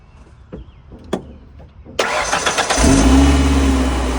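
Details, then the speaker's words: Ford Ranger 2.3-liter five-speed with a completely dead battery, jumped with a 6,000–8,000 A booster pack: a couple of seconds of quick, strong cranking, then it catches and settles to a steady idle; starts normally. "So as you can tell on that, it zinged the old 2.3. It didn't have any trouble. It actually cranked it faster than my Noco, but yeah, it should at 6,000 amps or 8,000 amps, right?"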